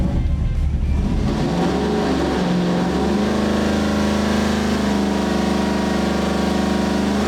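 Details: 632 big-block Chevy V8 for a 1989 Chevrolet C1500, on the dyno with timing at 34° and slightly leaned: loud, deep note climbing steadily under full load, smooth and even; healthy pull making over 600 lb-ft.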